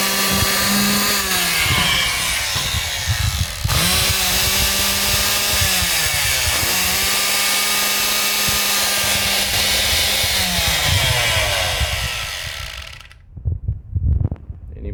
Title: only time I've ever seen an electric motor misfire.